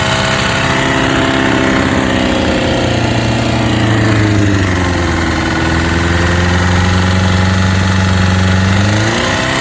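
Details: Honda CBR600RR PC37 four-cylinder with new cam chain and new pistons and rings, oil pressure good: idle with blips shows an uneven rattly chatter rising with revs; source not identified.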